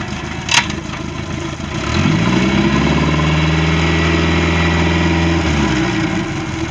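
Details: Boat engine (Monterey) after no-start repair: catches about two seconds in and settles into a steady, even run with no misses or knocks; normal running.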